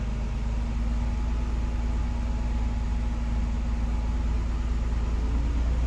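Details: 2008 Nissan Xterra S, about 198,000 miles, idling with a faint constant whine; persists after new alternator, power steering pump, OEM oil filter and with serpentine belt removed; owner suspects timing chain, water pump or transmission.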